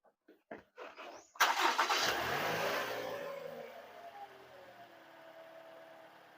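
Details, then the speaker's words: Toyota Camry 2.5 (2AR-FE) after replacing the worn balancer shaft: starter cranks a few times, engine catches and settles to a quiet, smooth idle with no roughness, in neutral and Drive; normal. "Udah normal ya. Masuk air. Nah, halus ya. Aman, netral."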